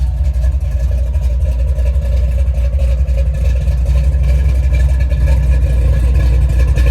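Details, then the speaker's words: 1970 Chevy Nova big-block V8 at steady idle, exhaust heard on walk-around after fixing a coolant leak at the water outlet (failed O-ring replaced with paper gasket and RTV). Heavy, lumpy, even burble with no misses or knocks; normal idle. "exhaust yeah she sounds good and that big black rumbles nicely"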